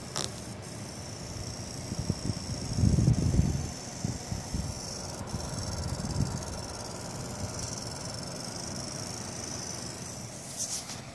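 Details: PowerColor R9 280X TurboX graphics card under load in the Metro Last Light benchmark: loose, uneven low rattle beneath the steady fan hiss.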